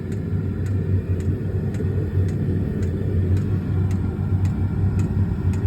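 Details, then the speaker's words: Auxiliary heater running after warm-up, powered from a second battery charged by the alternator: steady low rumble with a crisp fuel pump tick nearly twice a second, ventilation quiet; normal operation. "entend claquer la pompe mais dans l'ensemble la ventilation est silencieuse."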